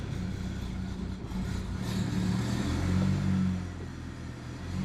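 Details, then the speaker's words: BMW E90 335i N54 with upgraded turbos, started after metal water pump install, warming up on hoist: low, uneven, wavering burble; rough idle, owner suspects a leaky injector. "let's see if it starts up bit of a rough idle"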